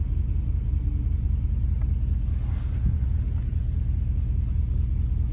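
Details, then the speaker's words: 2007 Jeep Commander 4.7 V8 at cold fast idle right after idle air control valve replacement, intake reinstalled; deep, steady rumble with no stumbles or surges, expected to drop; normal cold fast idle. "all right she started right up it's a little cold should drop down"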